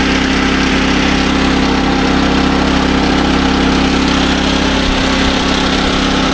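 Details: SDMO 5000W generator with a Briggs & Stratton engine (about 18 hp), restored after a no-power complaint, load-tested with a 1500 W heater and a light: a steady, even drone at constant pitch with no hunting or misses. It runs healthy.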